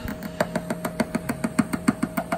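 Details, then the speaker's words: Daytona USA twin arcade cabinet sound board, after swapping the two 20-pin socketed chips between the sound-effects and music boards: sharp regular clicks about seven per second over a faint steady tone, no music or effects; chips likely not the cause, fault unknown. "let's turn it on let's see what happens here we go we're back to the old clicking sound"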